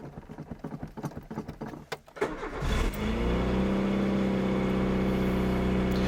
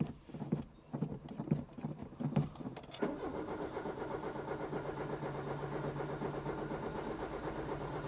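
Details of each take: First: Peugeot 205 after fitting new spark plugs, choke pulled, pedal pumped a little: brief cranking, catches quickly and settles into a steady even idle; starting better than before. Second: Peugeot 205 before plug change: uneven cranking about three seconds before catching to a low idle; hard starting, old spark plugs found with black crust (fouled).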